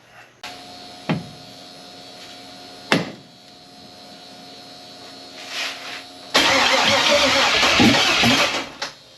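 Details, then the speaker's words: Abandoned 1999 Jeep Wrangler TJ with LS V8 swap and Turbo 350 transmission, after adding grounds, fixing a fuel line leak and vacuum leaks: a few cranking clicks, then catches with sharp full roar and idles; healthy, apparently nothing leaking. "That's awesome. Started up, started idling. Man, that's awesome."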